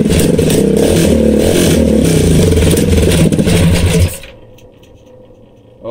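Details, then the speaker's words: Coleman CT100U minibike with a swapped-in 212 engine, test run on a new exhaust header pipe that replaced the side pipe: loud, steady single-cylinder chop for about four seconds, then shut off. Crisp, even firing; normal running. "and that's what that new little badass sound plate or sad pipe sounds like it's a [ __ ] beast sounds better than than this one man"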